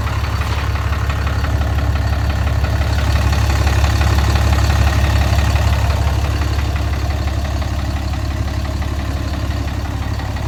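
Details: 2010 6.7 Cummins diesel, deleted, at idle: deep steady rumble with dull knock about three times a second, seeming from the bottom end; Lucas oil added after an oil change, cause undetermined.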